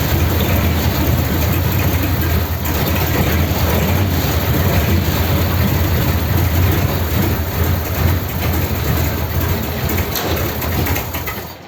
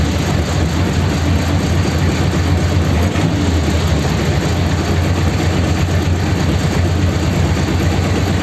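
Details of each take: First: 286 cu in flathead (3-3/8in bore, 4in stroke) race car, first start on a raised fast idle. Deep, lumpy, uneven idle with a backfire, misfiring because the number three and number four spark plug leads were swapped. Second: 286 cu in flathead (3-3/8" bore, 4" stroke) Pendine beach race car, first start after rebuild and fresh oil: steady, even low rumble at raised fast idle, no knocks or misses; runs okay.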